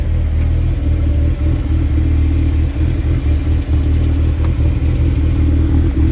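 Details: 2001 NB Mazda MX-5 cold start: low heavy rumble with uneven dips and stumbles, the idle sags and hunts; idle droop sometimes stalls it when stopping while driving. Cause suspected, not confirmed.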